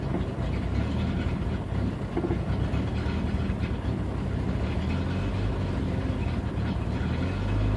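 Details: 1992 Jeep 4.0L six at idle: deep steady rumble that wavers and stumbles now and then, an intermittent rough idle of unknown cause. Fuel pump recently replaced, fuel pressure a constant 10 psi if the gauge is correct, ballast 10.5 V; bypassing it and swapping MAP and AIT sensors changed nothing.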